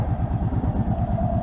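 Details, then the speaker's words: Arctic Cat 650 four-wheeler after carburetor vent rerouted with 5/16 hose: quick even low thumping with a steady beat and no misses or clatter; running cleanly. "good throttle response everything is just everything is this pack this uh four-wheeler is ready to be picked up"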